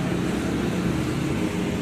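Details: 2022 Toyota Raize that needed four or five presses to start, after its push-start button's carbon-fouled contacts were cleaned and refitted: a steady, even engine hum with a smooth low rumble and no misses or knocks. Normal running.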